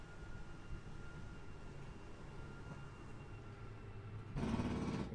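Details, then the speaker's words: 2019 Sportsmen LE 281BHKLE travel trailer flush-floor slide-out extending on out button: quiet motor hum, then short harsh ratcheting burst as it reaches full extension; normal. "when you hear that ratcheting sound, you know the slide is fully extended."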